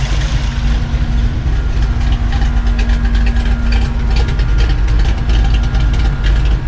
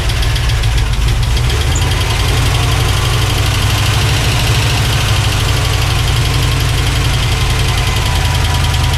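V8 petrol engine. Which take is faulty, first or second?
second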